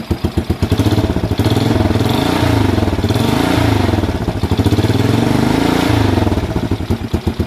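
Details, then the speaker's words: Rebuilt Honda CT110 Postie bike single-cylinder carburetor engine, freshly assembled: crisp exhaust pulses rise and fall cleanly with throttle blips, no rattles or unwanted noises; healthy revving. "no rattles no one wanted noises"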